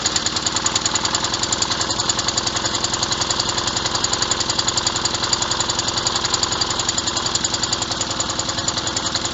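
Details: Revived old Snapper riding mower, 12.5 hp Briggs & Stratton single, after years sitting: steady, even chuffing at constant speed, regular beat, no misses; running properly.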